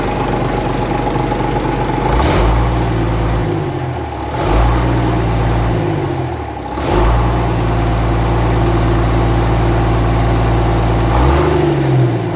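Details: 1965 Gardner 6LXB 180 six-cylinder marine diesel, out of its boat on a temporary cooling system, first test run after restoration following failure at 80 hours: deep, even beat dipping and recovering as revs change, no knocks or misses; healthy running.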